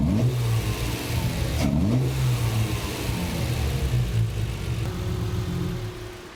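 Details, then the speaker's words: Triumph TR6 with Patton Machine TBI fuel injection after ECU memory reset, temporary collapsing hose fitted: revs climb and fall quickly with each blip, no hesitation, settling smoothly as ECU has learned; normal throttle response. "now it learned the more I do it the more the E you learns what to do in this situation and look at that now immediately"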